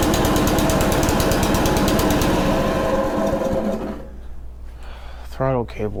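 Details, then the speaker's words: Honda HRC216 commercial-grade mower that would not start after sitting in storage, now dried out and refuelled, fires on choke with a fast, even single-cylinder putter, then fades as it's shut down; runs normally, throttle cable still to sort. "working huh but it runs so we have that taken care of"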